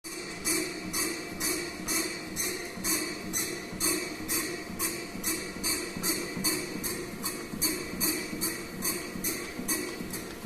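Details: King Smith/Xiaomi Mijia WalkingPad A1 Pro treadmill: sharp creak with each footstep, just over two per second, over a low hum; occurs for about a minute after starting to walk, then disappears.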